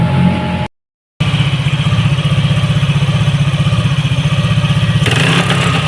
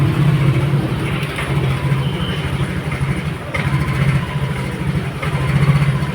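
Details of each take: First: Yamaha NMAX all-new v.2 scooter after repair of ignition system, some parts replaced and sticky throttle cable cleaned and lubed: even, steady idle with crisp rev blip, no stumbling or dying. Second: Yamaha NMAX All New v.2 scooter, previously had throttle body work, starts normally but stalls when revved and nearly dies even at idle; uneven stumbling idle that sags. Ignition system fault, worn spark plug and plug cap inspected, causing misfire and stall.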